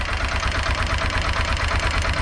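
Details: TVS Apache RTR 160 4V BS6 single-cylinder engine at idle: quick, light, regular "tik tik" ticking over a steady idle; engine tick problem, cause not identified.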